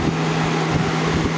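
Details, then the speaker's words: 2000-01 GE box fan model 106620 with chipped blades, running on high: a steady low hum that wavers as the fan slows slightly then revs back up. The owner hopes it is not a bad capacitor; it still stays up to speed. "fan slows down a little bit, but then it revs up."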